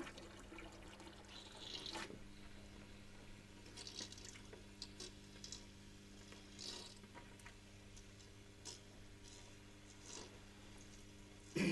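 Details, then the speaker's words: Small pump transferring liquid between vessels until cavitating, air bubbles visible drawn through it: steady hum with irregular crackles and pops over trickling liquid; NPSH available below NPSH required, pump stressed from inadequate suction. "anybody hear the cavitation if you see it you can see the air bubbles being pulled through the pump so this pump is in a state of stress"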